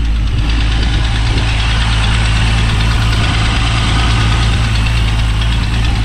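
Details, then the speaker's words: Turbocharged VR6 that wouldn't restart after a clutch job, after fitting a new crank sensor: starts properly and settles into a steady, even idle with a low smooth rumble, no misses, wind noise; normal idle. "That started way better, like it's supposed to. Yeah. I said crank sensors can be super finicky. We're gonna let it idle and make sure it's good."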